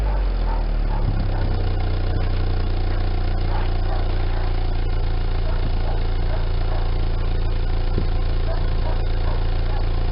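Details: 1999 Daewoo Nubira 2.0L DOHC U20SED petrol engine idles with a lumpy, uneven chug, then revs twice, misfiring; the misfire is attributed to an internal engine issue.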